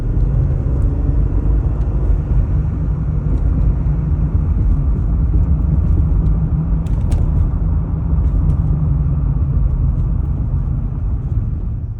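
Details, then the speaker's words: 2020 Jeep Gladiator Rubicon (JT) cruising after door mirror covers were tightened with electrical tape: steady low road rumble, only a couple of faint ticks, no buzzing or rattling from the mirror; normal road noise, rattle fixed. "All right, well, just got back from a test drive and woohoo, no noise."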